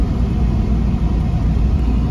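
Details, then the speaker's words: 1997 Chevrolet Camaro RS 3.8L 3800 V6 driving uphill under load: a heavy, uneven low rumble with a stumbling beat, the whole car vibrating and the check engine light coming on; the cylinder misfire moved with the swapped coil, so it is a bad coil pack. "let's see if it misfires like it did before yep it is really sputn yeah the whole car's vibrating bad sputter there goes the check engine light"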